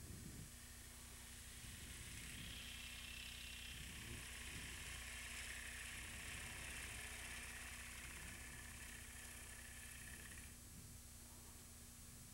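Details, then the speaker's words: Wood lathe turning a platter, cutting the foot/tenon: smooth, even hiss of the tool cutting over steady motor hum with no tap-tap-tap; clean cut with no chatter. "you can see you can hear there's no tap tap tap with that we're working on the foot now"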